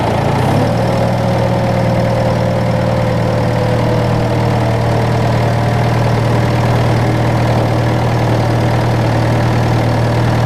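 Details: John Deere 6115M diesel tractor (about 3 years, under 1000 hours) started after replacing rubber fuel lines and priming with the electric fuel pump; fires and settles into a steady, even low drone with no misfire; normal start and idle.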